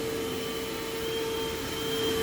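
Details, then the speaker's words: Simplicity/Riccar-type upright vacuum with a bent base plate running steadily: thin, constant, fairly quiet squeal from a slipping drive belt. "And you can hear the belt squealing. It is very quiet though, which I do like."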